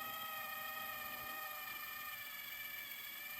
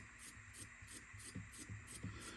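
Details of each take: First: Sony DTC-75ES DAT deck under restoration, after new gears and sensor adjustment, fast-forwarding to the end of the recording; smooth steady high-pitched whir with no catching or grinding; normal fast forward. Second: Sony DTC-75ES DAT deck under restoration, tested upside down after installing new gear and lubricating pinch roller arm slides; light rattling ticks about three a second over soft motor hum from gear's up-down free play, expected to stop once turned upright.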